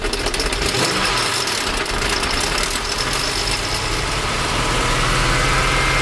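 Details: 1998 Jaguar XJ8 Vanden Plas after throttle body cleaning and PCV connector blow-out for stalling, started with pedal floored: steady even idle hum, no surging or dying, rising slightly at end; normal idle.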